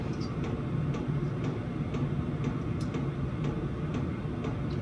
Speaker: if you wondering what that clicking noise is that's my diesel heater what a brilliant bit of kit that is got that off eBay uh for about 100 quid